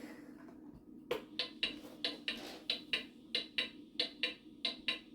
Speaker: That does not sound like a clock in beat, which goes tick tock, tick tock.